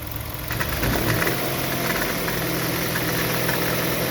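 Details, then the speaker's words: Hyundai Veloster engine bay, hood open, pulling away uphill: steady engine with a faint high thin whine held at constant revs, also on acceleration in neutral from low to mid rpm; source not yet found. "É um chorinho, tá, pessoal? Ó o barulho ali, ó. O desafio agora, pessoal, é descobrir."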